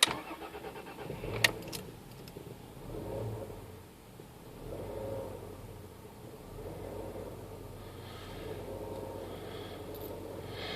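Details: MG ZT-T V6 cold start then rough idle swelling and sagging every couple of seconds, hard to drive until warm; idle speed valve already cleaned, owner unsure of cause.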